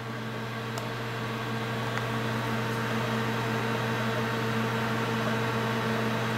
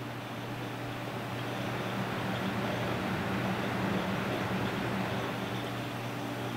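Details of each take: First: Corsair H70 cooler, 120 mm radiator with dual Corsair fans in push-pull at maximum RPM: steady droning hum with a clear, horrible tonal fan whine. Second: Noctua NH-D14 high-end air CPU cooler fans running at full 100% rpm: a soft, even airy rush with a low steady hum and no rattle, ticking or bearing growl; normal, healthy fans.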